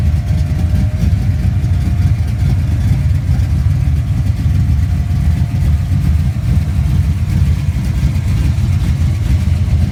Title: Our '67 mustang street car A small exhaust leak